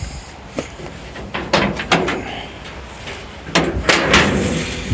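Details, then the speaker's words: 1937 Dodge Brothers door refitted straight with its handle on, catch a little messed up: a few solid thuds with a short metallic catch as it closes and latches; working well enough. "door's working pretty good good enough to do what i need"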